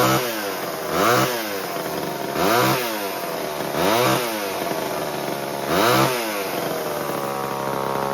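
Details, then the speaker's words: 1978 Homelite XL12 two-stroke chainsaw after years of sitting, started on the fourth or fifth pull: throttle blips every second and a half rise and fall cleanly to a steady idle; leaned slightly at first, then tuned and running healthy. "How about that? That was a little too easy, wasn't it? Like four, fifth pull."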